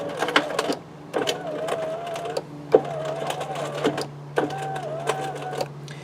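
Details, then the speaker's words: 2003 Chevrolet Monte Carlo power window, glass about three inches from closed: motor whirs in short bursts with rattle and clunks while the glass fails to travel, indicating a failed window regulator. "you can hear the motor turning you can hear a rattle and clunking when it does fail you might hear a pop you may hear a spring sound all several good indicators that the regulator itself has failed"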